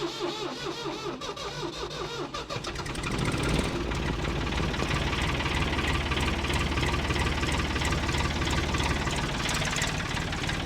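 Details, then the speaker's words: Ford 3000 diesel tractor abandoned over a year after overheating: steady chugging crank for about three seconds before it catches and settles into a rough, even idle. Long crank before starting. "if this works I'll be very shocked she sounds like she's close believe it or"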